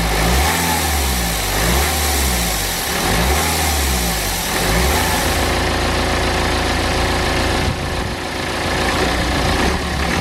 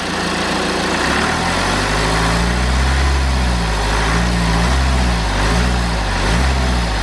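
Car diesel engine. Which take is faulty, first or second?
first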